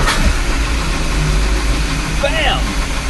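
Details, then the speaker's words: Chris Craft Commander 410 boat, 454 V8 marine engine that sat 10 years, after PRI-G fuel treatment soaked about 26 hours in 5–10-year-old gas: steady, even, smooth idle with no misses, running like a kitten. "there we go car's like a kitten this is not the first time we started this is the third time i believe"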